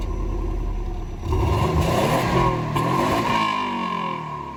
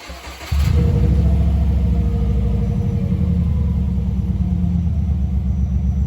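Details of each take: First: Free Subaru B4 (GTR owner's new car), stock exhaust before muffler swap: quick rev with a quiet, soft, muted note through the stock muffler; engine sounds healthy. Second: Subaru B4 started with the rotted, nearly holed muffler removed: catches after half a second, then a loud, deep, raspy open-pipe rumble with rev blips; owner says it doesn't sound bad straight-piped.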